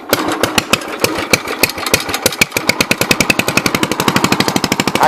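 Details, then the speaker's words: 1963 Cub Cadet single-cylinder engine, first start of the day with choke: sharp pops catch and speed up to about a dozen a second, settling into an even run; clean healthy cold start. "Okay, well the gas is on, so it should. With some choke, fire it up."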